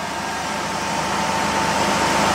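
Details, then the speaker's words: 2001 Ford Escape after restoring missing 15 A alternator fuse, charging 14.4 V with battery light out; smooth steady idle with a faint thin whine in the upper mids, no misses or rattles: running normally. "we have fixed the Escape woohoo well that is awesome still sounds good"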